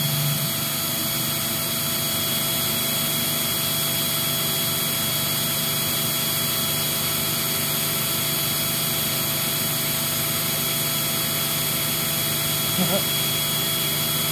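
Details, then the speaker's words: Eureka 402 Superlite small vacuum rated 2 amps, airflow test with the brushroll on: steady high-pitched whine and smooth airflow with no rattles; scored higher, and the owner suspects the suction motor spins faster with the carpet motor active; normal running. "well that's unusual because i actually did get a higher score with the brushroll on but just judging by the pitch of the machine it also sounds like that uh suction motor might be spinning a little bit faster when the carpet motors activated"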